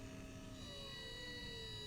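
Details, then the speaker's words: Windshield wiper DC brushed motor under Arduino PWM speed control, duty cycle ramping 0–100% and back: layered whine with steady high tones and lower tones sliding as speed changes; normal audible PWM whine. "since we're creating this square wave signal that's rapidly changing in time it's actually within the range of human hearing so there's a pretty distinctive whining sound that you'll hear from that"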